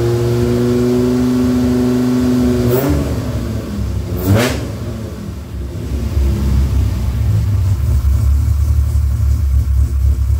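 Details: Rebuilt Dodge Viper V10 first startup after engine rebuild, oil pre-primed to 40 psi cranking: even idle with two sharp throttle blips rising and falling cleanly, back to smooth steady idle; about 60 psi oil pressure, no leaks, healthy.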